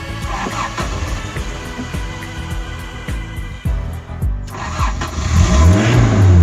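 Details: $500 Toyota 4Runner after new alternator, 60 amp fuse, battery lugs and grounds: starter cranks, engine catches cleanly and revs smoothly with no misses; normal start and rev.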